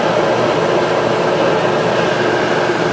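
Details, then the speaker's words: Kenmore electric dryer after replacing the seized motor with a new one, back not yet bolted on: steady even whir and drum rumble, belt straight, no thumps, squeals or scraping; normal dryer tumbling. "So it's running here. And it's running. Belt's nice and straight. It sounds no different if the, you know, it's running on its felt there."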